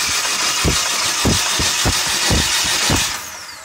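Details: PT Cruiser GT, diesel-like noise after two-hour drive, owner thought lifter tick not rod knock: loud uneven clatter about three knocks a second at idle; cam gear walking on sheared guide pin.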